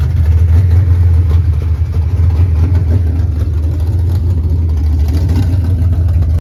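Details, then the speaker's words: 1989 Ford Mustang GT Fox body V8 after bad TPS replaced, base idle reset and timing still to do: deep, steady even rumble with no misses or hunting; idles smoothly now though still wants tuning. "We got the car to run on its own. You know, it just ended up being a bad TPS, and we still got to play with it, do a base auto reset, set the timing."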